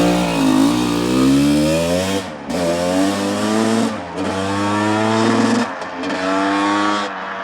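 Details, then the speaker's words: 1985 Honda CR250 two-stroke after engine rebuild for low compression (honed barrel, new piston, crank seals): crisp howl climbing cleanly through each gear with short dips at shifts, no misfire or bog; runs well. "okay so she sounds good it goes through the gears"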